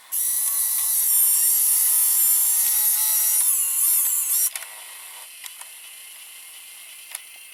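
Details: Opened JVC GR-AX33 VHS-C camcorder, loading mechanism exposed: high-pitched motor whir with fine gear chatter runs evenly for about four seconds, then stops with light clicks. Normal loading; the picture and VCR buttons are faulty.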